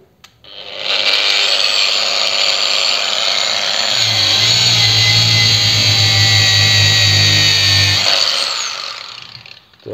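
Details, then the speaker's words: Procraft PW 1100 ES 125 mm angle grinder on the workbench at speed setting 1 (minimum rpm, heaviest load): high steady whine sags with a low hum as the brush bites, then recovers. Normal running under load. "Давайте попробуем на верстак поставить и проверить как работает под нагрузкой первое положение минимальные обороты на них и будем проверять потому что нагрузка будет самая большая на первом положении"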